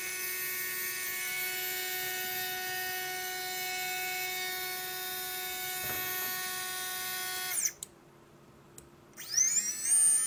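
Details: Readytosky 1804 quadcopter motor on a vibration test after calibration: a high steady whine with a buzzy rough edge cuts out and winds back up. Bad bearing causing heavy vibration; magnets reportedly come loose from vibration.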